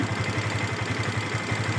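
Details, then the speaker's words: Yamaha FZS V2 at 437 km, idling: fast, light, rhythmic ticking clatter over the exhaust beat from loose tappets and a slack timing chain, blamed on rough riding without proper break-in; tappets and chain need adjusting. "টেপিড, timing chain loose হয়ে গেছে। গাড়িটা রাফ চালার কারণে লুজ হয়ে গেছে।"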